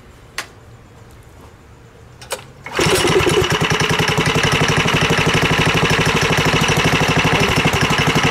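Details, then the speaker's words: Coleman KT196 go-kart with Predator 301 single-cylinder engine, after jackshaft and chain tension fix, just started: sharp start then steady even beat about three pops a second while warming up; normal idle. "it runs real good to relax [Music] it's just a moment to warm up"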